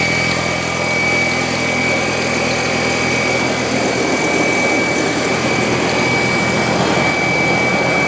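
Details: Audi A4 B6 1.8T turbo petrol, cold start after sitting all day: steady, loud, piercing high-pitched whine over the idle. Replacing the fuel filter did not stop it, and the cause is still unknown.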